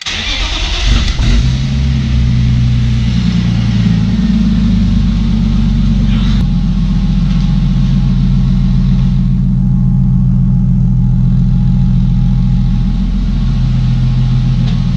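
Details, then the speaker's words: Engine-swapped car: starts to a lumpy idle with a faint quick tick that intensifies with rpm when revved; source not pinned down. "c'est vraiment pas vraiment un plus synthétique qui se répètent vraiment il reste autant comme ça et juste quand j'accélère le tube tik qui s'intensifie avec les tours minute"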